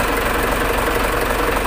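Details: Mitsubishi Fuso 6D24 diesel engine, worked on for fuel leak and hard starting: steady, even idle with a smooth, unbroken beat and no sharp knocks; normal idle.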